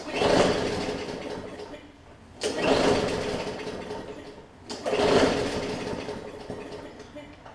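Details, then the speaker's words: Bolens 22-inch push mower with classic Briggs & Stratton engine, carburetor already serviced by previous owner: three pull-starts that whir briefly and die without catching; cranks but no start, suspected bad fuel or water in the bowl, not confirmed. "he could be like yes not getting any spark but she can hear it trying to go usually on that last revolution"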